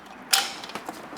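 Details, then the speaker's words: GM Turbo Hydramatic 400 (THM400) automatic transmission on the bench during disassembly: shifted into park, one sharp click then a few softer clicks as the parking pawl lever drops in and locks the drum; normal engagement. "This is in park. This locks. You can hear that click. It locks right here is where it does."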